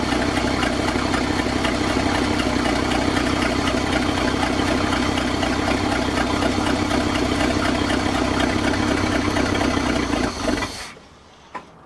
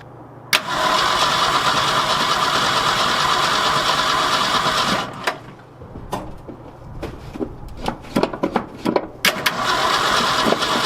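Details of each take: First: 1966 Ford F250 with 352 FE engine, parked since 1992, day two, float bowl full, started from an under-hood switch: fires and idles right away with an even, steady beat of about four per second until shut off; running normally. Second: 1966 Ford F250 with 352 FE engine, parked since 1992, first start attempt on a cold February day, air cleaner off, fuel poured in, choke not working: steady cranking about three turns a second, never catches; owner suspects no fuel through the carburetor.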